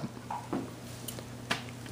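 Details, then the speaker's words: Lenco L75 turntable motor after replacing broken nose plunger screw and re-greasing with general purpose lithium grease: faint steady low hum, few light taps, no grinding or rumble; runs about as quiet as it gets. "like you see right now it's um about as quiet as you get"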